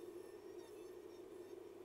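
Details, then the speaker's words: Polygon scanner motor in the laser scanner module of a Philips/Fujifilm PCR Eleva S X-ray image plate scanner, driven on the bench from interference, regulating back up to its set speed: steady even high whir at one pitch, no wobble or rubbing; running normally. "I can actually hear it starts regulating and uh tries to to pick up speed again so it is driving as it should"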